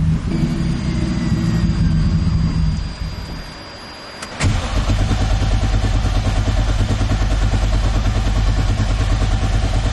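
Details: Turbo M50 BMW E30 on a standalone ECU with a newly fitted OE crank sensor. Idle swells and fades, nearly dies, then catches and runs unevenly: bad idle surging. Crank sensor suspected but doubted.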